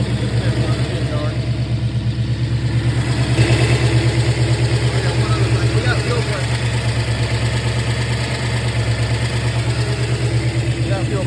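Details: Newly installed 481 engine in a truck on test run, after fuel pressure was adjusted for flooding and running-out-of-fuel problems. It fires up and holds a steady, even low idle with no stumbling or surging; normal idle.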